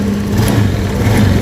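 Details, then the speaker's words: Honda Beat scooter that died suddenly on the road, fuel pump pressure fine at about 40–42, weak compression suspected; after carbon cleaner treatment the single-cylinder engine idles steadily with an even low putter, no knocks, slight smoke; piston replacement suggested. "Nah, ada ngasap sedikit ya. Nah, yang penting ini motor udah hidup."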